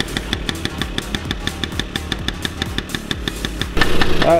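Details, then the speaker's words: 1978 Honda Express two-stroke moped, kickstarted, blowing smoke and leaking oil. It putters with uneven loping pops about three a second, missing and stumbling, then revs roughly: running poorly. "so as you saw this thing's blowing smoke not running right leaking oil everywhere"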